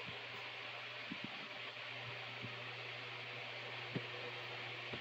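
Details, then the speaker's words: Mid-1950s Superior Electric oscillating fan, owned 40-plus years: steady low motor hum under even rush of air with a few faint clicks; runs smoothly and healthy. "And so now let's just we'll turn it on and we'll see how it works. It works pretty good."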